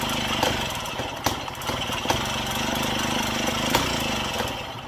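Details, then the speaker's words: Daelim Trac moped pedal-cranked in the cold, spark and fuel present: uneven puffs and clicks, never catches; owner suspects low compression, timing or reed valve; reused float bowl gasket leaks. "yeah i don't think it has much compression"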